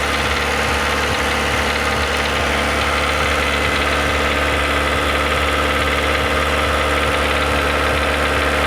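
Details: Renault Logan 1.6 16-valve, driven 19,000 km with this knock, heard only at 2000 rpm: steady engine drone with a light regular tapping, two or three a second. Dealers suspect a hydraulic lifter; owner doubts it. Not confirmed.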